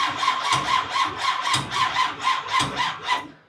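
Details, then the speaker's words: Freshly primed big-block V8 on first fire-up attempt, running flush oil: starter cranks in sluggish, even pulses about four a second without catching, then fades; weak battery, and the starter also seemed to stick and disengage. "that battery's hurting dog battery charger's ready"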